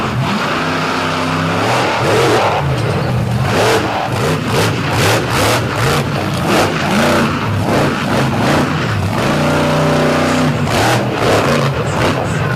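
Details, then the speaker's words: Monster truck at Brooksville All Star Championship, Athena Cozell's truck on a run: big engine revs hard but sounds ragged and uneven, stumbling through pulls; rough running and down on power, cause not confirmed. "You can hear this engine is not very happy."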